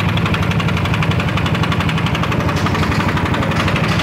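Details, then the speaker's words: Yamaha NMAX scooter with complaint of ticking at idle: steady sharp tick about four per second over a rough idle; abnormal engine noise attributed to worn piston and cylinder bore (piston slap). "Ya, benar emang ada bunyi etak, bunyi yang tidak wajar di mesin ya."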